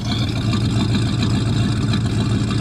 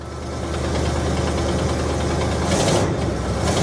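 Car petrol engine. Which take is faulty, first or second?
second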